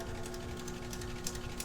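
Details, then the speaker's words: DC motor with compensating winding under no-load test as voltage is raised: steady hum with an irregular, scratchy crackle because the carbon brushes are not yet seated on the commutator. "ruido que se escucha es porque falta que el carbón y el conmutador le falta un asentamiento de carbones"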